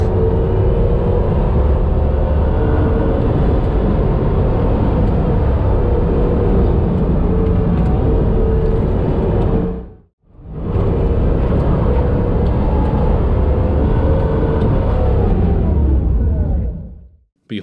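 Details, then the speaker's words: Driving: heavy low rumble with steady whir from a failed rear axle pinion bearing, overheated because bearing preload was set too high. "the bearing preload was set too high and as a result the bearing got too hot and failed"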